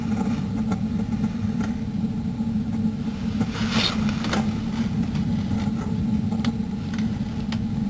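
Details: Suburban furnace, convection heat, outdoors at about 5-10 below Celsius after sitting a while: main burner on high, steady even roar without surging or popping, burning a vigorous blue.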